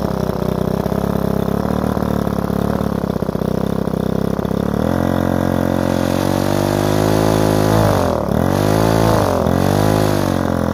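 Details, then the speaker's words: Repaired Ryobi two-stroke strimmer started on choke after priming the bulb, carburettor screw given a quarter turn; buzzes unevenly, pitch sags sharply twice as if about to stall; unstable, blubbery idle, owner thinks fine tuning will fix it. "all of a sudden she's just a large not idle magic a little bit blubbery I'm sure this with a fine tuning"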